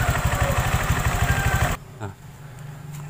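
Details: Honda Vario 125 LED scooter: loose clatter about three knocks a second from the rear when throttle opens, stopping when released, loudest around half throttle; CVT and rollers checked fine, cause was loose right-side air filter box.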